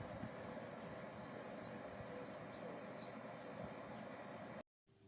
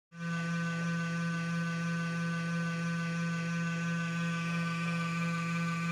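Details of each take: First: Desktop PC power supply fan after fixing its rattle and hum by adding two or three drops of oil: soft even airy hiss, running quietly with no rattle or hum. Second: Computer system unit giving a steady low drone with a faint rough buzz and rattle from the power supply cooling fan, whose bearing has run dry.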